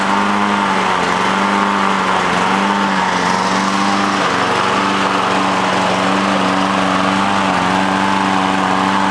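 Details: Lawn mower with new air filter, clean carburetor and new gas runs fine a few seconds, then surges up and down about every second and stalls; mechanic found water in the carburetor from storage outside under a tarp.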